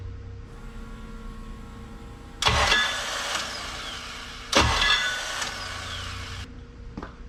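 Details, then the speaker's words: K24 AWD-swapped Honda Civic with built engine, start attempt after battery charging: two short starter bursts die after a second without catching; starter suspected burned out from long cranking the day before, Bendix gear not staying engaged; replacement starter planned. "So I think maybe yesterday when we were cranking on the starter for so long, trying to start this thing, we might have burned out the starter. So it doesn't want to keep the little Bendix gear or whatever shot out. It just pulls it right back."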